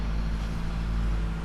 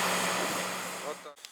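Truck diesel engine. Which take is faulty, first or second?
first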